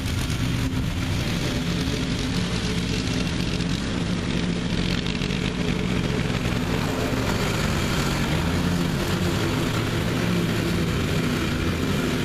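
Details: Revived neglected riding mower with new belt fitted, mowing the backyard: loud, even engine drone with steady blade whir, no misses or knocks; running good and mowing evenly.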